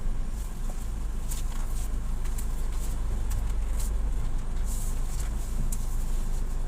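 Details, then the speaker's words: Nissan Juke front suspension after replacing strut (shock) bearing, with new front shocks and member bushings; road test while turning shows steady low road rumble, former clunking when steering now gone. "Sepertinya suara bisingnya sudah hilang sekarang, teman-teman. Ini aman, teman-teman."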